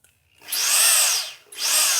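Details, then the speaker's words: Hammer drill switched from hammer mode to normal rotary mode, e.g. for starting holes in tile: high smooth whine winding up, running down and spinning up again with no hammer rattle, unlike the clattering hammer mode; normal rotary drilling. "그냥 이렇게 돌아가는 걸 볼 수 있어요. 한마디를 경우에는 소리가 틀리죠. 따다닥 소리가 나죠."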